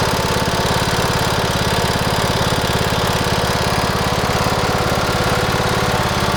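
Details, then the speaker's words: Cub Cadet LTX1040 riding lawn mower, about 90 original hours, runs poorly: steady single-cylinder idle with a light regular tick on each firing, about two or three a second; ticks more when warmed up, cause unclear. "you might have been able to hear it a little bit when it warms up it ticks"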